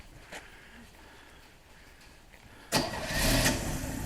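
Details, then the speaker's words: Carbureted engine after air cleaner hardware tightened to cure a vacuum leak that caused stalling and shaking: quiet crank, immediate catch, steady even idle without dying; starts better than before. "Yeah, it didn't start up that well before. And The engine's not dying."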